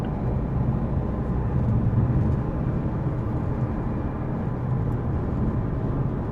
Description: A neutral and amplified recording of a droning noise from my 2015 Mazda 3 sedan.